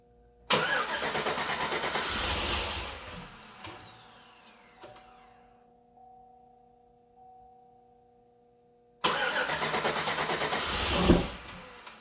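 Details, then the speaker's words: 2008 Chevrolet Suburban with new engine on first start attempts: starter cranks, nearly catches and fades, then sharp pop; backfiring through stock throttle body with faint smoke, injector/plug wiring order questioned. "See. Looks like it's backfiring there."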